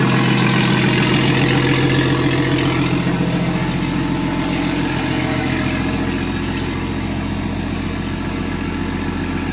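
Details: First start this year of a newly wired RB20DET turbo straight-six in a Datsun 240Z: a smooth, steady idle with even firing and clean throttle blips, no knocks or misses.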